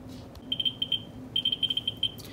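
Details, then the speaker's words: Ludlum 14C Geiger counter with a Ludlum 44-3 gamma scintillator probe, all radioactive materials moved away: sharp high clicks at random, several a second, ordinary natural background averaging around 600–700 counts per minute. "it's just natural background we see that the average around here is around 600 as pounds per minute and steadily bouncing twenty-six hundred seven hundred counts per minute"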